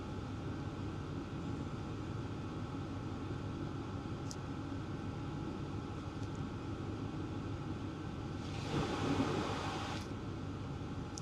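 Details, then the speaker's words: Hcalory Toolbox Max 8 kW diesel heater (2025) running on high/max speed, which burns more fuel, outlet air about 200 degrees: steady, even fan rush with a low hum underneath and no surging, rattling or misfire pops; healthy full-output running. "This is running on high, by the way. This is on max speed. So, um, on max speed definitely, it definitely burns more fuel."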